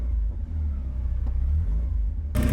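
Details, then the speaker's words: Porsche 944: deep steady rumble swelling cleanly on light revs and dropping back without hesitation or misfire; revs much nicer than before. "Let's give it a bit of a rev. Oh, that's way"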